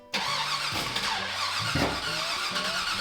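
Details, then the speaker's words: Firebird's new 408 Whipple-supercharged engine on first start: it catches and runs rough with irregular pops and snorts over a lumpy idle, misfiring because four coil packs were plugged into the wrong cylinders due to poor wiring. "Coils are plugged in on the wrong sides."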